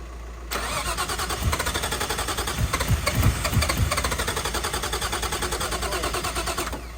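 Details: Nissan R33 Skyline, freshly built forged RB engine, first start: starter spins engine evenly about six seconds, never catches; no firing due to bad spark plugs, fixed by swapping plugs.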